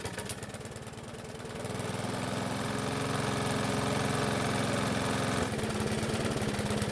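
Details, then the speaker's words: Bolens mower running with the air filter off, primer faulty, governor spring needing adjustment: engine hunts and surges into an uneven low beat; poor running traced to a distorted carburettor diaphragm. "But before we do that, we need to find out why this engine is running so poorly. And about the only thing we haven't looked at so far is the carb. And in this case, we need to inspect the diaphragm."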